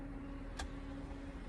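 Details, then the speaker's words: BMW X5 electric parking brake after restoring communication with the EMF module: a faint, steady motor hum with one short click as the actuators drive normally. "let's try if it works shall we seems to be working doesn't it can you hear"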